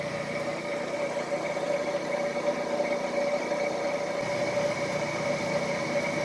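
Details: Smooth, even whir with a steady mid-pitched tone and no knocking or grinding from a Tree milling machine head spindle after rebuild with new bearings and belts; runout in taper measured about 0.00015–0.0002 in; healthy spindle running true.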